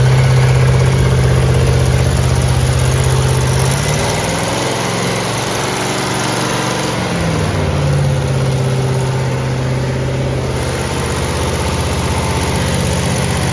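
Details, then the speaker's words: 1970 Chevelle SS 454 big block with solid lifters and locking rocker nuts, during engine break-in: a deep, steady V8 rumble idling down to 650 rpm, with an even beat and no ticking or misses. A healthy idle. "it starts right up I mean it I mean it idles down to 650 RPM and uh we're very very very happy with how this motor is running"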